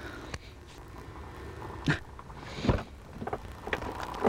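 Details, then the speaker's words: CSX northbound ballast train of 51 cars rolling away; short sharp high squeaks every second or so from one car wheel, suspected to have too much grease. "I think that one wheel got a little too much of the grease. Yeah. The one that's doing all the squeaking."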